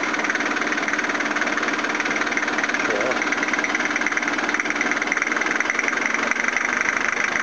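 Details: 1983 Toyota Hiace van engine running after rebuild with pistons, rods, crank and timing belt: steady even hum, no knocks or misses, constant tone; normal idle.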